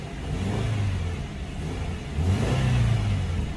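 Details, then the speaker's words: 2013 Subaru Impreza after engine replacement and refilling CVT fluid, with the camshaft position sensor code still showing: slightly hard start, then smooth engine rising and falling through two throttle blips, clean and even with no knock or miss: normal revving. "A little bit of a trouble starting up, but it does sound a lot smoother now. That sounds much better."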